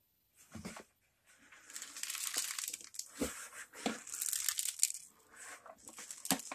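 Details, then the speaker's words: New 62cc EB650 gas leaf/snow blower from eBay, engine off, unit shaken: irregular dry crackling rattles with each shake, seemingly from the base; something loose or broken inside the housing. "we're gonna listen to the sound that it makes when I move it around that sounds like something's broken"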